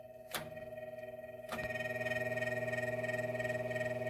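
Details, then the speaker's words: GE W-25 electric fan after maintenance and a new cord, run without its blade: a steady motor hum with a faint rhythmic pulsing flutter. It is noisier than it should be; the cause is not yet found. "that's a bit noisy we'll have to see what it's like with the blade on"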